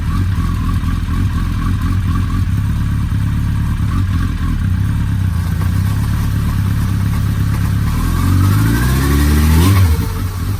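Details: Suzuki Hayabusa after partial teardown for a loud worrying engine noise: strong even idle then clean smooth rev, gear engaged, no odd noises, only normal rear transmission lash; running better before road test.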